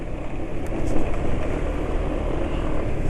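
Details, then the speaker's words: Vespa running on GGI Maxoil Power B40 oil: even, steady engine note with no knocking or ticking on top; piston-cylinder friction and camshaft noise not audible, smooth and healthy. "mesin juga relatif halus piston dan silinder ya gesekan piston dan silinder nggak kedengaran asap-asak yang dari noken as juga nggak kedengaran"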